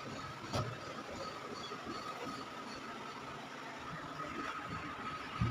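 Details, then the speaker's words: Sony automatic washing machine whose motor had only hummed without turning, now tested in spin dry. The motor holds a soft, steady hum at even pitch with no knocks or scraping, and spins normally. "ayan a nagspin dry siya pinak niya ay malakas naman yung ano yung ano ng ano ng tubig habang nagspin dry"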